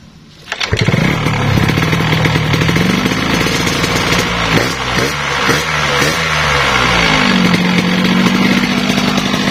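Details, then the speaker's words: Yamaha RS 100 two-stroke after a clogged oil pump/injection line fix, with two-stroke oil now feeding via the carburetor: engine revs repeatedly, pitch climbing and falling cleanly with crisp throttle response; running healthy. "nah Setyo Guys oke itu tandanya oli samping kita sudah masuk di jalan karburator saja jadi kita bisa main aman"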